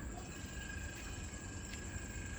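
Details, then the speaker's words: MG4 EV parked and switched on, A/C just turned on with the cabin still hot: a steady, even electric hum with a thin high tone from the electric A/C compressor, which cools normally and gets quieter once the temperature stabilises. "นี่มีเสียงคอมเพรสเซอร์แอร์ซึ่งมันทำความเย็นอยู่นะครับแต่ถ้าความเย็นมันคงที่แล้วนะครับมันก็จะเบาลง"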